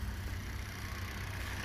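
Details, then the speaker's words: 4x4 Fiat Panda idling after reconnecting a spark plug wire that had popped off the coil pack; low, even exhaust note, no more popping or misses; runs smoothly. "now she runs like a dream that's a lot better we got smooth exhaust look at that no more popping"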